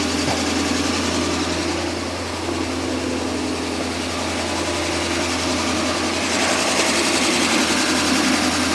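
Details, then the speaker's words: 1998 BMW 740iL just after fuel pump replacement and first start: steady idle then unprompted surge as revs and loudness creep up; smoke visible; cause unclear. "Uh-oh, it's revving up for some reason."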